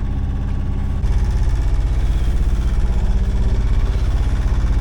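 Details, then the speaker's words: Sailboat's inboard engine under way leaving Penarth for Oxwich Bay; steady low thrum at about three beats a second with slight unevenness as the engine "has a wobble", running rough; cause not identified. "my engine has just had a wobble."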